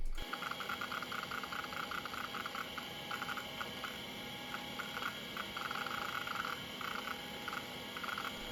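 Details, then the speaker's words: Old IDE hard drive, freshly formatted, booting Windows: quick irregular bursts of soft seek ticking over a steady spindle whine; healthy seek activity. "And what a lovely sound that is."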